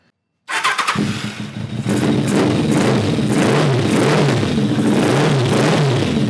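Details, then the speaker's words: Kawasaki ZRX1200 after cleaning ethanol-clogged Keihin CVK carburetors: fires into an uneven, stumbling idle with irregular beats and misses; rough idle, later judged a jetting issue. "I don't know, it doesn't sound good. What in the hell is going on?"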